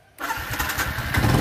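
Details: Yamaha Exciter 135 after repair, headlight wire that touched the battery feed fixed: quick crank, catches cleanly and settles into an even, steady idle; normal start.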